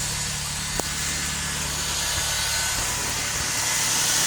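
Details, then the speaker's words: 2003 Toyota Sienna after a new Y-pipe and catalytic converters: a quiet, steady idle with a soft exhaust note and no ticking or puffing. No exhaust leaks, much quieter than before. "I'm impressed that that's so quiet. I'll be honest with you. I really thought I'd have a leak or two. There are no leaks."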